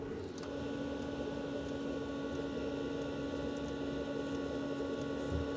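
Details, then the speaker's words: Planar/Autoterm 2D 12V diesel heater in a Microlite Cargolite camper, first test fire after the fuel line primed: constant whooshing roar "like a jet engine taking off" with a steady hum, no stutter, heat coming out. Normal running. "I'm feeling heat sounds like a jet engine taking off uh it's one warm very"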